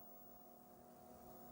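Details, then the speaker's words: Commodore 1581 3.5-inch floppy drive loading a game: quiet, steady hum with a few faint tones and no head-stepping clicks, normal operation. "Drive activates done if you can hear the drive can't hear it steppin it's just humming along and"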